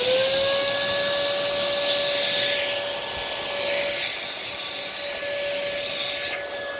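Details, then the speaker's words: Early 2002 Dyson DC07 HEPA+Bactisafe upright vacuum, Malaysian-made: steady high suction whine with strong suction and no duct clogs, then an oddly weird-sounding motor wind-down on shutoff with bin fitted; sounds fairly normal with bin removed, cause unknown. "you hear that wind down how weird that sounds although again yeah so that there's no clogs in this ductwork because otherwise there wouldn't be that there's still very strong suction now that motor wind down is really weird"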